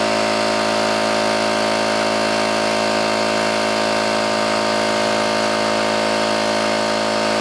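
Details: New oil-lubricated Campbell-Hausfeld air compressor, regulator fully down and drain valve closed, filling tank under load: steady even pump drone with constant pitch, no metallic clatter or knocking; sounds healthy.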